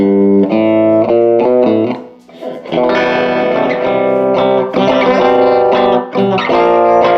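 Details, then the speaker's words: 1949 Gibson BR-6 tube amp, final tone demo after servicing, cleaning and repairs, played with a Fender Strat single coil: clean, clear notes ring out with no hum, crackle or dropouts. The amp sounds healthy. "And once I get all that, then I will go ahead and do a final tone demo on this thing, and we'll see what it sounds like."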